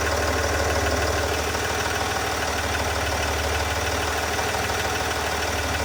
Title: ticking noise sdv6